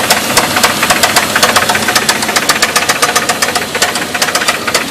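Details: 2.2 S10 engine that already had a rod knock, driven hard in a burnout: sharp, heavy knocks about twice a second hammer through the screaming engine under load, a worn connecting-rod bearing.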